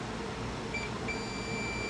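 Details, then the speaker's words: Household fan that stopped working: meter in beep mode gives a steady continuity tone across a winding that should be insulated; exposed copper, winding fused together and burned out, likely all windings shorted; motor not repairable. "this winding is shot this can't be repaired it's fused together and burned out and probably burned out all the windings"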